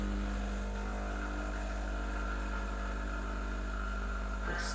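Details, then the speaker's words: Breville Dual Boiler BES920 espresso machine, freshly serviced, pulling a double shot at about 9 bar: steady, even pump drone with low hum, no knocking or surging; flow smooth but slightly slow; normal pump operation. "want to pay attention to two things the pressure you want it to be around 8 to 10 and the flow should be nice and smooth"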